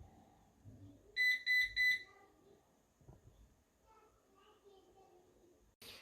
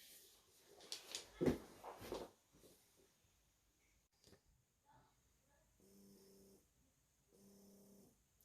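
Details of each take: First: Eufy RoboVac 11 robot vacuum: a quick run of short, shrill beeps, four beeps, the error code for a stuck brush, though no visible obstruction on the brush. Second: Eufy RoboVac 11 brush motor, which had caused four-beep stuck-brush errors, after treatment with gun conditioner and oil: runs in two short steady bursts with a smooth, even hum and no squeal, running like a champ.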